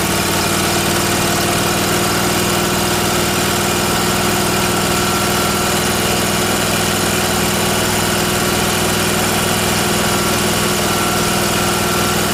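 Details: Miller Trailblazer welder engine after replacing the faulty vacuum-operated fuel pump, mixture screw having no effect: smooth, steady idle with no stumble, surge or misfire. Normal idle.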